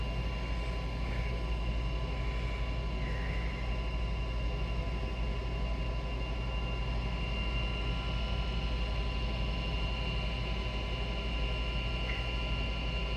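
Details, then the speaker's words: Goodman gas furnace after blower motor replacement: combustion blower runs with steady low hum and faint constant whine, no rattle or scrape, before burner lights and new blower kicks on; normal inducer blower and burner operation. "this is a combustion blower you'll see this light off here in a"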